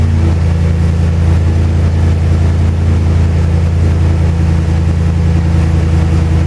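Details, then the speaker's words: Hemi-swapped truck after wiring fixes, ignition switch bypassed for the start sequence, throttle still not working: deep, steady V8 rumble, even and strong with no misses or stumbles; clean-running engine. "I bypassed the ignition switch for the start sequence but there's a really nice running Heming slot"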